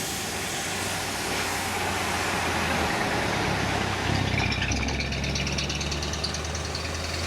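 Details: Mercedes-AMG C63 W205/S205 facelift prototype test mule, 2016: deep steady engine drone that shifts tone around four seconds with faint ticking on top; unusual engine noise, cause unclear.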